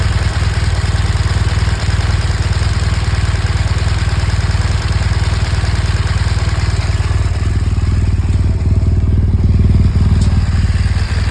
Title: BMW R1200 GS . 2014 engine ticking noise . What generates this sound?